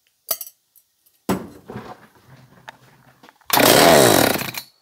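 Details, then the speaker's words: John Deere CS56 chainsaw, probably water-contaminated, compression release checked and found not stuck: after some clatter it bursts into life for about a second on squirted fuel and dies, so spark is present and it will run. "Okay, so she's got spark. She will run."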